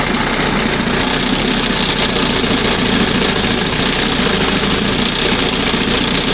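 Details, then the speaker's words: 1971 Johnson 20 hp two-stroke outboard after carburetor mixture and idle stop screw adjustment, throttle at first mark: steady, even buzzing idle with no surging or stumbling; runs smoothly, normal idle. "Not bad. Wow. That's the best right there. Sounds much better. And it's down here, you know, it's idling."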